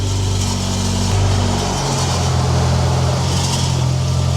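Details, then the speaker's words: Mitsubishi Evo X on a lift with light revs, heard from underneath, with a random rattle the owner had blamed on a racing clutch: loose tinny rattle over idle that changes with revs; loose turbo heat shield plate rattling. "all right we we found it see this you see this plate all right now rev y it's rattling tha"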